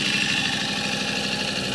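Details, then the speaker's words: 2023 Yamaha Rmax side-by-side after engine rebuild, first start in neutral with transmission clutches not yet on: steady, even, smooth idle with no knocks or ticks; rebuilt engine sounds healthy. "Kind of let our coolant go. Man, that sounds so smooth. I can't tell you how nervous I was about that working. still running real good."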